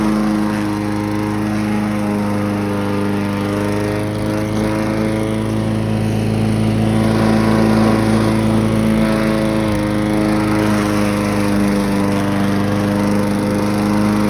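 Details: Briggs & Stratton push mower after a low-rpm fix (part zip-tied from frame to head, wheels adjusted, new governor spring): starts first pull, then a strong, steady drone holding speed while mowing grass without bogging or surging. Normal running under load.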